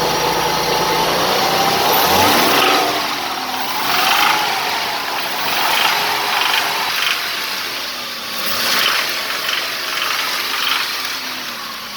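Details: Mercedes W124 with M104 2.8 petrol engine (193 hp) blipped from idle; a dry crackle rises as revs climb near the intake manifold, heard while driving above 2500 rpm; cause not yet found.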